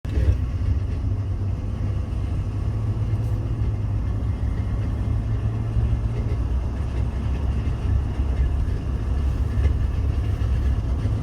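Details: 2018 Ford F-150 with 710 miles, front hub disconnect (IWE) not fully disengaging: steady gritty low grinding rumble while driving, burning metal smell noticed; IWE module replaced twice without a fix.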